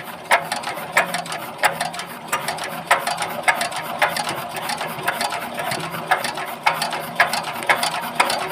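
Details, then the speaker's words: Bharat Z170F 4 hp diesel engine, rebuilt after its oil chamber burst; a fuel-pump setting problem was found. Crisp, regular creaking chatter about every two-thirds of a second on injector test, with good spray; nozzle working properly, no misfire expected. "তো finally বন্ধু আপনারা নজলের sound শুনতে পেলেন, sound এবং spray উভয়ে কিন্তু খুব সুন্দর চলে আসছে। তো এতে করে বন্ধু বোঝা গেল যে ইঞ্জিনে কখনো কিন্তু আপ ডাউন আসবে না।"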